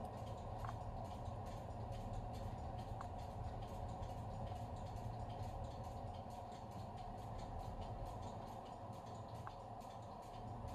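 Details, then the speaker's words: Victoreen CDV-700 6B civil defense Geiger counter after repair, replacement tube fitted: soft hiss with a sharp click every few seconds from background radiation; tube working, no pin swap needed. "and already I'm hearing a click every now and then which will be from background radiation"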